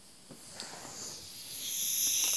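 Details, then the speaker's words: Central heating radiator, bled while the heating is forced to 25°: a soft hiss builds steadily louder as a good amount of trapped air escapes through the opened bleed valve. "Hopefully, you can hear that. That's it. There's a good chunk of air in there."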